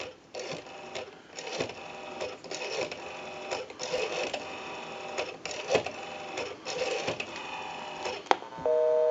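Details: ITT 554 rotary wall telephone after repair: quick bursts of dial clicks in groups, then a steady two-tone busy signal from calling a busy number; the rotary dial is pulsing out cleanly.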